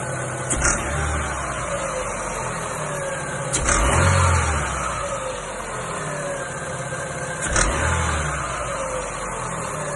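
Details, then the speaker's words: Chevrolet Aveo/Lacetti 1.6 petrol engine blipped every few seconds, with a sharp rattling knock as the revs drop. Owners mistake it for piston-pin knock, but a stethoscope traced it to the belt tensioner. "Вот такой вот звук. Народ приезжает и говорит, что торохтят пальцы. Но я кое-что нашёл."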